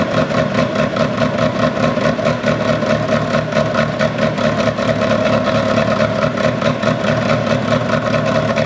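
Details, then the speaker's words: Ferrari 360 Challenge Stradale Spider at its first fire-up after the battery had been off: an uneven, lumpy idle with irregular popping and spluttering that didn't smooth out, so it was shut off. Possibly a misfire on one bank, cause unconfirmed. "normally after about 30 seconds to a minute kind of irons it all out and it smooths it all off this definitely uh was not going to do that so we playing it safe we've turned it off"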